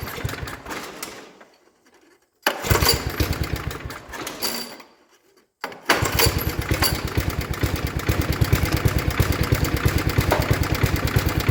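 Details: 1960s Toro Professional 70 reel mower, small single-cylinder, carb rebuilt (high idle 2.5 turns, low idle 1.25), fuel system cleaned; catches after a couple of short tries, then a steady even chug at fast idle, running clean.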